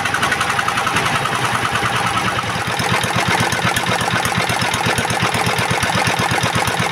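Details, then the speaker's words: S1125 single-cylinder diesel, which knocked loudly after running out of oil and being refilled, now repaired and idling: even, steady thumping at about eighty beats a minute, knock gone, oil indicator good. "Dan untuk suaranya sekarang sudah bagus, tidak ada suara notok-notoknya lagi."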